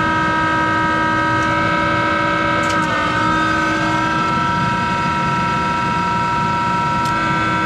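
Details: Monarch 10EE lathe, 3-phase motor-driven generator with vacuum-tube rectified DC spindle drive, speed being switched back and forth, with worn motor-generator bearings: a loud steady whine of stacked tones that dips briefly as the speed changes.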